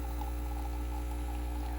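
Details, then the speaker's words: Breville Bambino standard espresso machine, button held in then released during a shot: a steady, even low buzzing drone with no knocking or surging, the vibration pump running normally through the shot. "holding it in you can hear it getting to work and then let it go"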